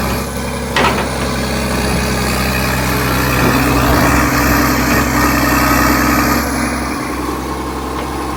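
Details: Vintage 1980s all-mechanical John Deere 790 excavator (48,000 lb) under hydraulic load, not even idled up: heavy diesel holds steady with an even beat, no knocks or misfires; healthy engine running normally.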